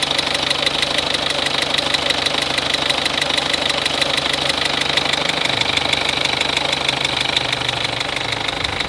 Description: Je soupçonne un problème avec un (des?) joint d'injecteur sur ma 206 1.4 HDi 70ch (2003). Pas de problème particulier pour monter dans les tours (ou très légère baisse), mais je trouve ce bruit (tic-tic-tic régulier) assez bizarre...